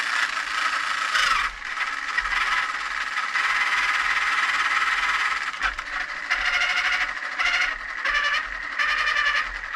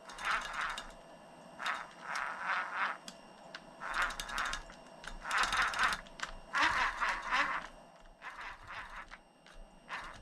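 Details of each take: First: RC vehicle after swapping stripped stock gears for a new machined gear set: small motor whirs in short high-pitched bursts with smooth, even gear whine, no clicking or skipping; gearbox seems okay. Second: RC car driveshaft turned by hand after hard use gives bursts of sharp ratcheting clicks as it catches and skips. Turning from the front slips through without tension, so the stripped stock gear is in the rear; to be replaced with a machined gear set.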